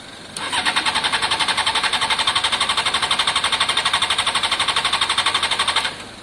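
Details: Honda CBR600 F4i non-runner, accident-damaged and unused for years, after injector cleaning with cleaner and fresh fuel: steady cranking at about four pulses a second for several seconds, never catches, no pump whir beforehand. Owner suspects fuel pump not priming.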